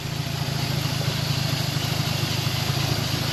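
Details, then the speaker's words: Old Toyota Celica Supra with 4M engine, bought unseen: steady even idle with a light fast injector tick and a faint pulley whir from the belt end; suspected, not confirmed. "Sounds good. I can hear the injector and it sounds like some pulley noise. Besides that, like this thing sounds amazing."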